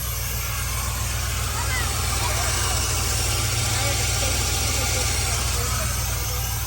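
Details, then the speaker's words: IROC sat 13 years, revived, running before intake goes back on; steady, even low rumble, regular beat, no knocks or misses: normal idle. "let's see if that valve cover gasket holds on good job dude all motors do that's actually running pretty dang good"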